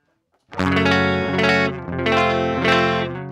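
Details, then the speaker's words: 2006 Laney VH100R clean channel on low input, no cabinet simulation, EQs near noon; chords gritty and crackly with weird breakup; cured later by replacing all clean-channel PCB electrolytic capacitors. "yeah so like i said this is without cabinet simulation so it's not gonna sound super pleasant but even on the low input there's just this like weird breakup"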